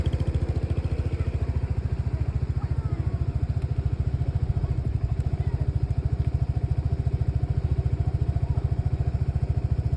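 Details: Lexmoto Nexus 125cc motorcycle idling with a lumpy, uneven low thump, stumbling as it misfires; diagnostics show fuel-air mixture readings dropping below 0 and a total misfire count.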